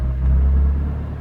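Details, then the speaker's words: 2002 BMW E46 M3 drift car, nearly 200,000 km, cold start after replacing throttle position sensors: low even rumble as revs rise gently under light throttle, no sputter or hesitation where it used to stutter; runs smooth. "You know, before it was sputtering like that at this RPM, but there's nothing. Just slowly all the way up. It's super smooth."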